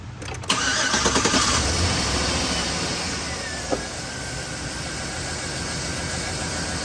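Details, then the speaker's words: 2013 Silverado 5.3L with P0300 and P0521, engine light blinking. After swapping plugs, the misfire moved to cylinder 1, where compression was about 110 versus 131. The engine idles with a regular stumble, caused by a cracked brand-new spark plug. "Misfire moved to number 1. So it's definitely that plug. Brand new plug. I guess I should have looked at it closer for cracks or something."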